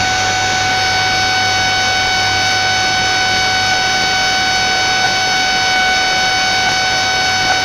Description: The noise spans from about 15mhz right up to 21mhz, then just buzzzzz :(